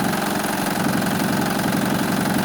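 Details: 2007 Honda Pilot with the customer complaining of engine noise, suspected from the timing belt area, run with covers off: rapid, even ticking knock over a steady idle at the front of the engine; cause unconfirmed, possibly the belt tensioner.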